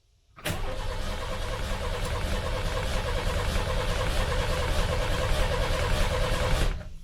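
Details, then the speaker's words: 1989 Ford F-150 with 4.9 L straight-six, severely overheated and now with a dead miss: it cranks, catches and settles into an uneven, lumpy idle with a stumble, like one cylinder dead. Misfire. "all right that to me that sounds like probably one cylinder having a dead miss"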